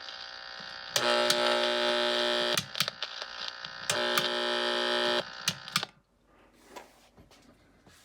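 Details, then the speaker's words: Harsh bursty buzzing hum with sharp overtones from an LED light's driver transformer, heard only with the light on; the noise likely leaks out because the light has no ground or shield. "So that noise is coming from this transformer. And it's probably leaking out because there's no ground, there's no shield on this light."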